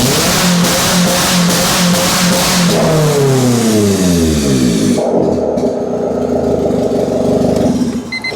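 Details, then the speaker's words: Honda car started after arc welding on it with the battery connected: strong, even running, then a smooth rev falling back cleanly to a steady idle; no stumble or misfire; normal start and rev. "just can't kill a Honda she just takes it keeps going"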